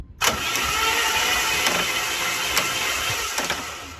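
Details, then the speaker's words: Mercedes W203 project with a twin-supercharger belt drive, first start after refitting the belt: the engine catches with a high whistling squeal and uneven chirps as the belt walks off. The idler pulley was never fully tightened; once tightened, the belt stays on. "I think I never tightened up this idler pulley all the way so that was why the B started to walk"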